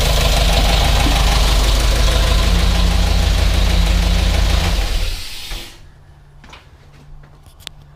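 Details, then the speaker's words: GMC Yukon Denali 6.2L LS V8, restarted after reassembly with driver-side valve cover off: sharp regular ticking about three per second at idle; front two and rear rockers get no oil through pushrods at DOD lifters; lifter tick from DOD lifters not oiling. "so those front two rockers my light those front two rockers there's no oil coming under the the push rods and the back one is also not pushing any oil out"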